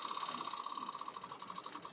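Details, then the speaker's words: Yamaha Thundercat 600 with flooding carbs, in neutral with the ignition switched on: a steady high buzzing pulses rapidly for about two seconds as the petrol pump primes normally. "i don't know if you could hear that then the actual petrol pumps prime in"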